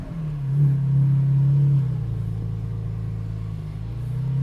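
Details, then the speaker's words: GT4 exhaust in stock valve mode, after the exhaust work, driving: a smooth low rumble rising under throttle and settling at cruise, no buzz or rattle, and the previous vibration is gone. "stock i think i think it's sounding a little bit different it's not as like there's no we don't have the vibration"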